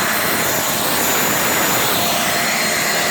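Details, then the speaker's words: Turbo barrel burner for pyrolysis gas, packed very tight with plastic and wood ash, windy outdoors: loud harsh constant rushing roar, no pulsing; sounds laboured, owner suspects too little air and fuel running out. "Sounds like it's struggling. Fucking windy, for one. So I don't think it's very effective just venting it."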